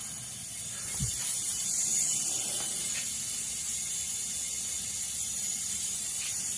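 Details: Air leak hiss during smoke test of vacuum system on 1986 Camaro (3rd gen) engine: soft steady high hiss over faint engine; leak turned out likely from the hose hooked up for the test.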